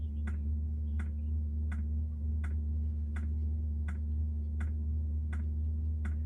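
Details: Diesel heater newly installed on Jayco Freedom caravan, heard outside: crisp regular dosing-pump ticks about 80/min over a steady low fan drone; fuel pump ticking normally.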